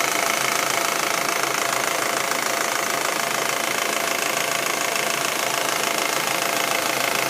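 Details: Audi A4 1.8T at warm idle: fast, even light ticking, about three a second, over a steady hiss; it appears only when the engine gets warm, and the cause is not yet pinned down.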